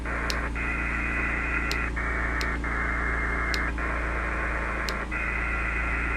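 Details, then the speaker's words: Elecraft K2 receiver on sideband with 17 ft whip on a van, before ferrite beads and filtering: steady buzzing hash under the audio with dropouts as signals pass; inverter generator RF interference, around S9+. "You can hear it there. It's not pleasant."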